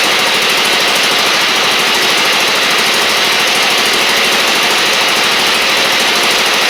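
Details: Husqvarna LGT2654 Briggs V-twin mower engine: loud, rough, lopsided chuffing with smoke in the garage. The left cylinder is not firing despite visible spark because a pushrod is out of place.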